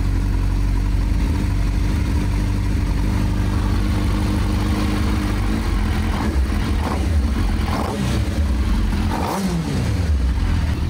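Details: Renault Twingo with swapped GSXR 1000 motorcycle fuel-injected engine, running after air box sensors reconnected: strong, steady drone with a couple of rising revs near the end; runs evenly, sounds healthy.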